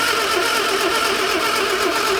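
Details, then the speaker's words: Morris Minor barn find parked 21 years: steady rhythmic cranking with no firing pulse. No spark is seen although the points open and close and the distributor cap is new; the coil is suspected, not confirmed. "I can't, I can't see a... A spark in here at all. They're opening and closing."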